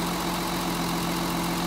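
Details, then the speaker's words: Mercedes 280 SE: number two lead plugged back in after a test pull and the engine smooths out; smooth steady idle hum, even low pulse, all cylinders firing. "now watch the engine smooth out as I plug this lead back in see"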